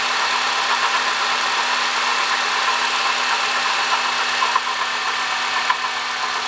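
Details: 2005 Honda Odyssey (registered Nov 2005, 268,167 km, CVT) at idle: constant gritty whirring hiss over a steady low hum from a worn water pump bearing; replacing the water pump, thermostat, thermo switch and coolant cured the noise.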